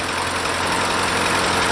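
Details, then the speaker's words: Ford 8N tractor unused for years, first start after carb cleaner: rough idle with busy rattly valve clatter; owner suspects no oil flow for years or dirt, possibly a burnt valve; not confirmed. "oh it's smooth it's got some red valve platter probably because it hasn't had oil flowing through it in years"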